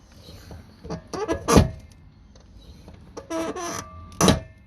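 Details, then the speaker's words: Chevy Suburban driver's door, lower hinge roller swung by hand: harsh clunks and scraping as the door binds. The roller is seized from rust for lack of lubrication; the fix is soaking it with PB Blaster until it rolls. "What's that? That noise? That wheel ain't moving at all. Alright, so you gotta spray the crap out of it and get it to roll."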